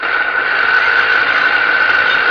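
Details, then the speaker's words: Electric tricycle motor removed from the differential and run free: steady, shrill whine with rough hiss; adding oil didn't help, water ingress had rusted and failed the outer cover bearing, replaced with greased new bearing and sealed. "我们现在把这个电机打开看一下，应该是电机里边这个轴承有问题。"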